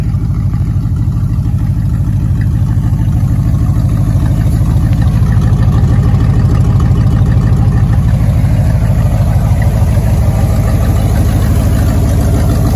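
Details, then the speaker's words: 1960 Buick with its holed muffler and exhaust cut off, leaving about 12 inches of pipe off each manifold: a loud, deep, raw unmuffled burble with every firing pulse audible, like a farm truck or WWII bomber. "i took a grinder and sawzall to it and now i have a 1960 buick that sounds like a farm truck slash world war ii bomber plane when you're going down the"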